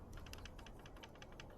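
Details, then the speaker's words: 2024 YT Decoy e-mountain bike after 100 miles, shaken by hand: light irregular ticks and taps, a loose internal cable rattling inside the down tube near the battery despite bubble-wrap and zip-tie fix; loose internal cable rattle. "go all the up here it's rattles and when I when I rattle it it just keeps rattling"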